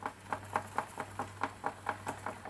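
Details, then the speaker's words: Regular light ticking about four times a second over a faint motor hum on a high-powered DIY e-motorbike with new gearing and chain tensioner; the chain is just touching the mudguard while the rear wheel spins on test. "chain just touching the the muddle go on the other side just about there"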